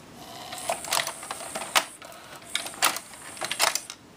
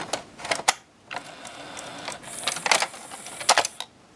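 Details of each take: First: Pioneer PD-M702 six-disc changer working after repair (the laser rail had been missing its focusing lens): short bursts of light clicks and whirring as the whole carriage shifts to another disc, smooth with no grinding. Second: Pioneer six-disc CD changer, microphone moved close to the mechanism: quiet clicks and short buzzing bursts of the pickup searching, no steady disc spin; owner unsure whether it's no spin or no focus lock, later traced to missing focusing lens on laser.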